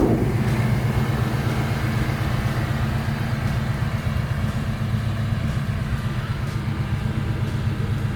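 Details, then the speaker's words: 1990 GMC Jimmy 4x4, rebuilt 5.7 EFI V8, about 45,000 mi since build, dual exhaust with mellow mufflers and catalytic converters damping sound: deep, steady rumble, even mellow exhaust pulse, nothing rough or ticking; quiet, normal idle exhaust note. "Plus it's got catalytic converters on it, so they also knock the sound down. So it's quiet, it's not loud and obnoxious."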